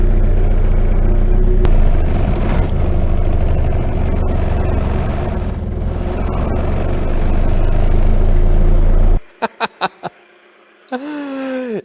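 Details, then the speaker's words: RingTracktor track car with a newly built race engine on solid engine mounts, first start: deep, steady idle with heavy low rumble and a body buzz as the whole car vibrates through the stiff mounts; normal idle. "And actually the first thing that I hear is the hard engine mounts, because you can hear the whole car vibrate."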